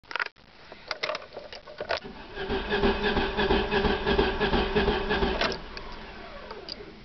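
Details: 1994 Sundance: starter cranks the engine over at a steady, fairly even pace for a few seconds but it never catches; crank no start.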